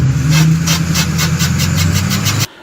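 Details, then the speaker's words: 2006 Chevrolet Silverado 2500HD, 6.6L LBZ Duramax, NP263XHD transfer case making an awful noise: rough rhythmic scraping pulse about three times a second; oil pump vibrating and rubbing through the case, broken clip found. "it'll just vibrate and it'll wear a hole right in there and that's how it starts"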